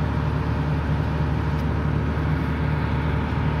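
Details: Volvo EC480D excavator diesel after filter change, accelerator dial turned up: steady, even drone with no misses or knocks at working revs; RPM no longer drops to idle while operating, problem solved.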